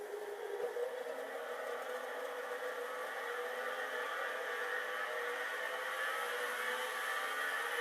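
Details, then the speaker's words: Hard drive nearly 40 years old, likely unpowered 30+ years, starting after stiction: whir climbs slowly and evenly in pitch as platters come up to speed; spin-up after stiction. "Alright, definitely, absolutely, positively, this disk drive, which is now probably, well, maybe not quite 40 years old, and has probably not been plugged in 30 or more, is indeed spinning."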